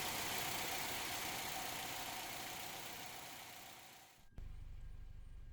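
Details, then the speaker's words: 2006 Chevy Cobalt 2.2L Ecotec after replacing ignition coil assembly for P0300 random misfire: after a hiss fades, steady even idle with no stumbles; misfires gone, normal idle. "and this is after installing a new coil assembly you will notice that the misfires are now gone"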